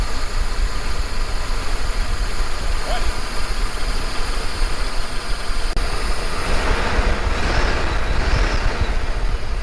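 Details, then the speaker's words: 1980 El Camino V8 just after an MSD Atomic EFI swap, idling around 800 rpm: a low, steady rumble with no stumbles or knocks; very smooth normal idle while the EFI may still be learning. "Oh, there we go. It's running and it's idling amazing. Very smooth."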